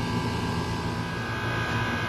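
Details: Soliton heat pump air conditioner: steady even hum with a constant fan whoosh and a smooth motor tone, no knocks or rattles; running normally.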